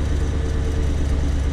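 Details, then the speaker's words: 1993 Chevrolet C4 Corvette with new rebuilt V8, after correcting swapped spark plug wires on cylinders six and eight: deep smooth even idle, all eight cylinders firing; normal idle. "that's that's a big difference [Music] that's all eight all right driving it so much better that that is a huge difference"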